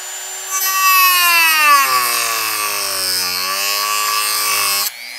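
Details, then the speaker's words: Jorgensen corded 120 V variable-speed rotary tool (10,000–35,000 RPM) on low setting with cutoff disc cutting pine: high whine sags in pitch and stays strained; motor bogging under load. "I'm going to put it on low. See how it cuts this piece of pine. You can hear it bogging down."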